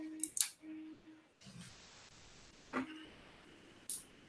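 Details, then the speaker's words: Prusa MMU2 powering up: a soft smack, then a brief stepper buzz as the selector drives to its end stop, which serves as the home position, and stops; normal startup homing. "so nots booting it smacked this is a little little smack and then it's gonna go all the way that end home and then it's gonna stop"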